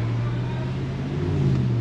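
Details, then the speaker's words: Dodge Ram 1500 5.7 V8 under load right after fitting BBK shorty headers, checked for exhaust leaks: a deep, even rumble rising smoothly with no ticking or puffing, so the exhaust is sealed and healthy. "oh it sounds like a dodge again fantastic"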